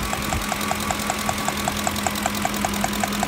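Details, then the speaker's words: 2007 Ford F-150 5.4L 3-valve Triton V8 at idle with fuel smell under hood: sharp even ticking about five times a second as combustion gas puffs past a loose spark plug and coil boot; fix is new plug torqued to 25 ft-lb. "and of course at the same time to making that ticking or capping noise at the puffs of combustion gases the cylinder"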